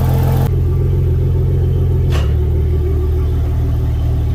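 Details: Yamaha outboard on a Contender 32CC: steady low idle rumble, then one soft clunk into gear and the idle holds steady. Clean, normal shift; trim-up not working, suspected bad relay or trim motor.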